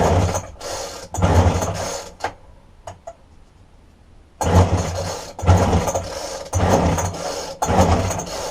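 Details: Roadside-dumped McCulloch strimmer with a broken tank-to-carburetor fuel line, fuel poured into the spark plug hole: rasping pull-cord strokes in about one-second bursts with no firing catches. Cranks but won't start.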